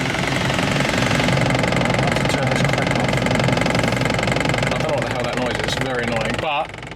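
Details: Crashed Ford Focus RS Mk2, first start after about 40 minutes on battery charge: engine running with a loose, fairly regular knocking about three per second over the idle; source of the noise unclear.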